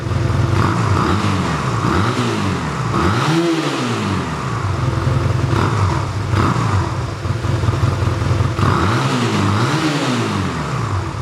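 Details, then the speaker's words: 1985 Honda Rebel motorcycle with only 2000 miles, first start after about 17 years stored, running on fuel reserve and warming up before adjustment: smooth idle with clean, even throttle blips; normal idle and revving. "Okay, we'll let her run for a while to warm up and then we'll see what we can do about the adjustment of the curve."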